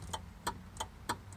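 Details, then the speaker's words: 1955 Austin-Healey 100-4 BN2 that will not start: five sharp dry clicks about three per second from the starter relay with no cranking; bridging manually still doesn't start it, starter solenoid wiring suspected. "When I push the starter, though, I can hear the starter relay in here clicking."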